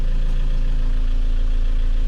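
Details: 1998 Vauxhall Vectra B started after sitting a long time, smoking at first: smooth, low, even idle with steady rhythm, no ticking, knocking or misfire; owner judges the engine healthy.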